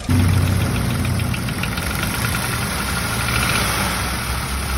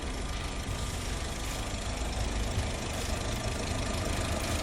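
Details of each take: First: Used car engine check, example of a bad engine: uneven knocking rattles over rough running at idle, about three to four hits a second; abnormal internal knock, cause unknown, likely costly repairs. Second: Used car engine check, example of a good engine, test revving to about 3,000 rpm and releasing: even, steady note with no tapping or knocking on deceleration; engine healthy and smooth.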